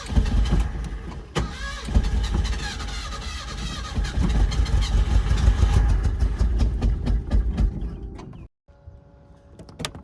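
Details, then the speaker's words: 2006 Chevrolet Cobalt LS, supercharged, E85, tuned to 370 wheel horsepower, started with a gas pump: cranks, catches, then runs rough and lumpy on only two cylinders from a blown head gasket and worn-out engine. "it only runs on two cylinders because it's got a blown head gasket and a clapped out engine"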